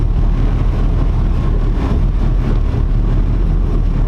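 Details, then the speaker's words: Tide Car carbureted V8 idling on the new Carter 50 GPH pump and 3/8 fuel line, ground strap added and MSD box grounded: deep, steady rumble, even idle, no misses, knocks or surging; running smooth. "there it is running on the new fuel system but really smooth too"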